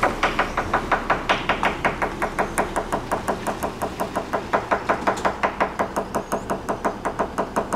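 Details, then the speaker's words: Tap test with a hammer along the fiberglass hull of a yacht: quick steady tapping, nearly three taps a second, sounding dull and hollow rather than crisp, suggesting dry, resin-starved fiberglass laminate. "there's a weird discrepancy here yeah I had dry glass here on my boat I think it's actually a drop PCH there on top here reverberate"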